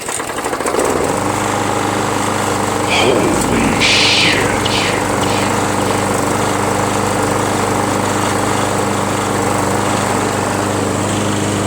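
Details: John Deere JS63 self-propelled mower, Briggs & Stratton 6.5 engine, free curbside pick, garage-kept: starts on first pull and settles into smooth, even drone at steady speed, no stumbles; self-propulsion works, runs fine, only handles loose.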